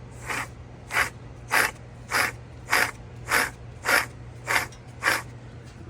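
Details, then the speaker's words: 2007 GMC Yukon hub spun by hand with the rotor off: a gritty, rough grind in rhythmic pulses under two per second, worse than the other side; worn wheel bearing. "I did notice the bearings look funny. You can even hear it. So that's why I'm back in here again. So this one is worse than the other side."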